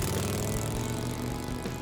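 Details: Restored 1958 Harley-Davidson Sportster on test ride: steady deep V-twin drone holding even revs with no misses or knocks, music behind; running smooth and healthy.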